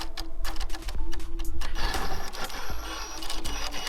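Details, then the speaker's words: Traxxas TRX-4 Bronco crawler fitted with a Castle sensorless brushless system taken from a Slash, crawling at its slowest speed: motor whirs in uneven stuttering jerks and ticks instead of a smooth pull; low-speed cogging, milder than expected; sensored setup considered. "it's actually not as bad as I thought it was gonna be but you can hear that little bit of cogging"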